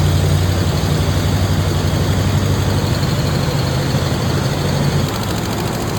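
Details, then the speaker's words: 1980 Chevrolet Corvette C3 V8, valve covers and air cleaner off, vacuum gauge bumping: rough, lumpy idle with one cylinder dropping out; number six exhaust valve not opening because of a wiped cam lobe, so it runs on seven cylinders. "And what does it mean if that number six exhaust valve is not opening? >> Means a cam lobe is wiped out."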